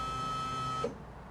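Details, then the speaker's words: 1987 Chevy square body truck, key-on in cab after a new fuel tank selector switch fixed a voltage drop issue: thin steady whine under a second, cuts off cleanly; fuel pump priming normally. "when i flip the key on you'll actually hear the fuel pump run by itself this time ready"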